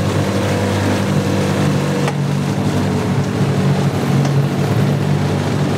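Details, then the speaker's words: Yamaha 9.9 two-stroke outboard, salty and abused, after cleaning carburetor passages and fixing a no-shift problem: steady low drone at even speed without misses or knocks; runs, shifts and pees, slight spitting, carb not yet adjusted. "Alrighty. It runs, it shifts, it pees."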